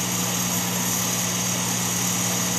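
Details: Sherline 4000 lathe (Craftsman model 4000, built 1980) during an aggressive 0.020 in cut: steady motor hum with constant high whine, pulling hard but even; loaded yet healthy running.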